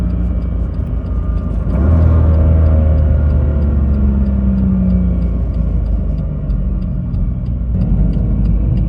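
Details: BMW M2 DCT with polyurethane transmission mounts from AliExpress, coasting: heavy road rumble with a faint tone climbing in pitch; gear whine carried into the cabin by the stiff mounts.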